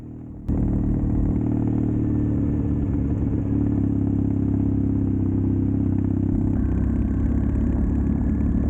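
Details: Custom Triumph Bonneville T100 with Down & Out drag pipes, riding after stage 1 torque kit and stage 4 ECU remap: deep steady smooth twin grumble, no pops or crackles; normal exhaust note, backfiring gone.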